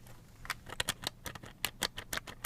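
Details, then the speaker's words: Slot.it 1/32 slot car with body screws loosened about one turn for body-chassis float; light irregular plastic ticking and chattering as the body shifts on the chassis; intended body float rattle. "hope you can hear that little bit of rattle from the mic. You can get a little bit of body float."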